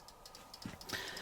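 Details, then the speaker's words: 1979 Hoover De Luxe D6042 tumble dryer, 120-minute timer: steady light clockwork ticking, then one sharper click at the 10-minute cool-down section; normal timer behaviour. "The 10-minute mark, there's the cool down section. There is an audible click."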